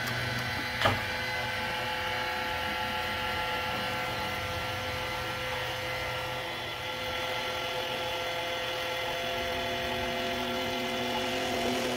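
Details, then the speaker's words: Electric oil extraction pump drawing oil through the dipstick hole of a 2008 Ford Fiesta MK6 gives a steady, even buzzy hum with no sputtering or air gulps; its tone shows it is picking up oil normally. "you can tell the tone changes on the pump if it's picking up oil or not the noise it's making now would indicate that it is"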